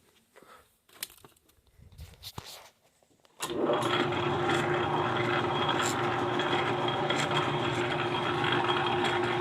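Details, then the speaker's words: Clausing 4800 lathe after leadscrew backlash fix (washer and screw refitted): handling knocks, then motor starts and settles into a smooth, even steady drone; leadscrew moving normally. "Yes, that's moving normally. This is moving normally."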